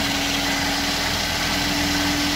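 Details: 2009 Toyota Yaris, oil warning light flickering at speed, after an oil change: steady, even idle with a constant low hum and no knocks or misses. Normal idle.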